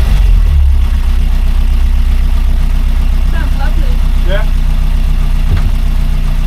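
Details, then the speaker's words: Rover P6 after replacing faulty timing chain tensioner, at lowered idle, run briefly without cooling system: steady, even low idle with smooth beat and no chain chatter or rattle; chain can't be heard, engine healthy. "yeah I can't hear the chain to F I can't I can't hear the chain at all"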